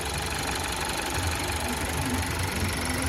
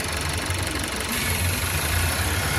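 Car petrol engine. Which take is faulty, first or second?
second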